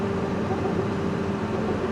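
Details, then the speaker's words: Corn combine harvester in the cab after its turbo exhaust leak was found and fixed: a steady, even engine drone with a smooth low hum and no rattle or squeal. Now quieter and running normally, with turbo boost restored and lower fuel use. "It was good to operate before. It was just a little loud, but now nice and quiet in the cab."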